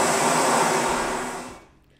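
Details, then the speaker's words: Handheld open compressed-air nozzle used all day in a factory to sweep product toward recycling: harsh, steady high hiss of air blasting, then stopping; loud open-nozzle noise, which an air-entraining nozzle would cut by about 15 dB while using less air. "they have two blokes whose sole job is to use air Nancy's of walk backs and forwards down the factory all day and these things are noisy so"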